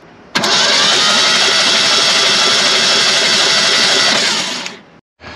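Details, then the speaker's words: Classic Ford F150 sitting about 29 years, after cleaning starter ground and cable connections: starter spins the engine briskly and evenly for about four seconds with no binding, turning over freely without firing. "right well they're turning over nicely"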